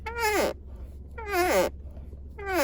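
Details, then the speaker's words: Ford Focus MK4 center console armrest, with only the first lid layer opened and closed: three drawn-out squeaks, each sliding down in pitch, about one per second; the lid squeaks from an unidentified latch. "就是当我第一片我只开第一片，我不是开2片的情况下，我把这个关起来，我这拉起来，就有这个声音。也不知道是哪个卡榫发出来的，你知道？"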